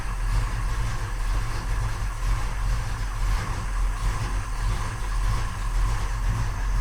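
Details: 1968 Oldsmobile 442 with a 500 cubic inch engine on fresh 93 octane, first start after sitting for years, idle: deep, steady rumble with an even, unbroken beat and no knocks or misses. Good oil pressure, timing right, carburetor running slightly rich; sounds healthy.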